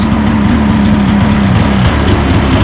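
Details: 2015 Polaris Switchback Assault two-stroke snowmobile after spark plug replacement for no-start: loud steady drone settling right after cold start on second pull, even pitch, no stumbling; runs clean.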